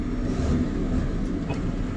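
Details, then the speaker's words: JCB Fastrac 3170 with 5.9 Cummins diesel after exhaust manifold leak sealed with gunk: loud, even rumble with no chuffing or ticking in the beat; engine now sounds healthy and sealed. "which does sound a lot better with um without that chuffing listen"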